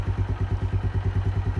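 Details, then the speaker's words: Keeway 125cc with Suzuki GN/GS engine, running after a battery replacement, still cold: steady single-cylinder thump around nine beats a second, even and unhurried, no knocks; owner says not sluggish but wants a warm-up. Normal cold idle. "boat's still cold so yeah it's I wouldn't say sluggish but it could probably do have a nice warm up"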